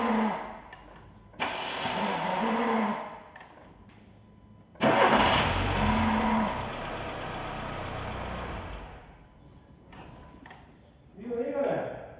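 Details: Renault Sandero 1.6 8-valve 2014: two cranking attempts, each starting with a harsh grinding whirr before the engine catches. A worn starter Bendix not meshing cleanly, to be replaced.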